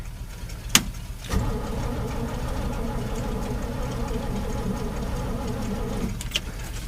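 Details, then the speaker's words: 1968 Chevy pickup with 283 V8, cold start after sitting months in snowy weather: starter turns over steadily about five seconds without firing; no start, fuel starvation, later started with prime down the carb. "kind of sounds like it wants to start hit her again but not getting nothing so far"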